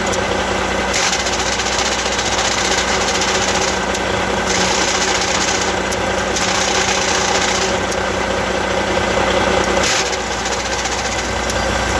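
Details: Truck diesel idling with an Eaton Easy Pedal Advantage clutch: uneven rattling chatter over the hum, changing briefly every few seconds; abnormal clutch noise, cause not stated.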